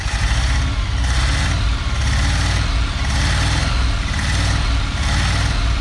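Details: 1974 Dodge W200 318 V8 carbureted, just revived, no working gauges: low, lumpy idle surging and sagging about once a second; rough idle, cause not confirmed.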